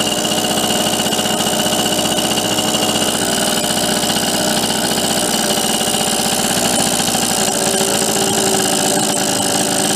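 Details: Bridgestone Rockford Chibi vintage mini bike with about a 3.5 hp Briggs engine, kick-started: fast, even putter at steady speed, no surging or stumbling; carburetor looks set about right, normal running.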